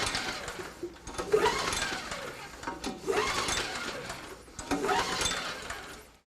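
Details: Snow blower engine that won't start, during a spark test with an inline spark tester on the plug wire: three slow recoil rope pulls, whirring rasp as it turns over but never fires; spark is present, plug to be replaced as possibly fouled.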